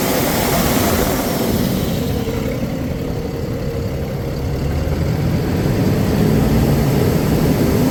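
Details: 2009 Freightliner M2 bucket/chipper truck, Cummins 6.7L turbo diesel, 24,000 documented miles, recently serviced: loud even rumble at constant pace, no knocks, misses or rattles; healthy smooth idle.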